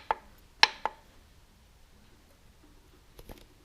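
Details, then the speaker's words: Nissan Skyline R33 engine on a stand, oil pan off, rod rocked by hand: several sharp metallic clacks from loose number one connecting rod, with metal debris in the pan. Machine shop fitted wrong-size rod bearings, causing rod knock. "Number one is loose. Hear that?"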